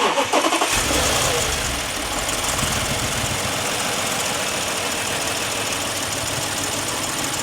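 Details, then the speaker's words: Audi S8 4.0 twin-turbo V8 starting with a cylinder one misfire from the moment it starts, hot or cold: cranks, catches and settles into an uneven, lumpy idle, caused by a stuck-open intake valve. "there's a cylinder one misfire which is the main issue and it happens the second you start the engine"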